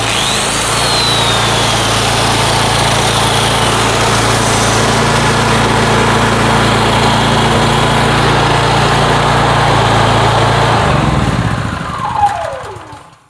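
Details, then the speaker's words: Old small engine-driven generator after leak repair, powering a corded grinder: steady even drone as the grinder whirs up and down; runs smoothly and holds speed under load. "that's awesome it sounds good it's not too super loud for an old machine these things are really reliable"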